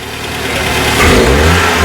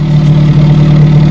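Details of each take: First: 1968 Commer 2500 van, last registered 1991, revived: engine blipped picks up and drops cleanly over a fast idle around 1,000–1,100 rpm, still high; big improvement, possibly slightly rich, muffler has a hole. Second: 1968 Commer 2500 van, last registered 1991, idling high around 1,000–1,100 rpm, possibly running rich: steady low idle, deep drone with raspy breathy edge; hole in muffler leaking exhaust, needs patching.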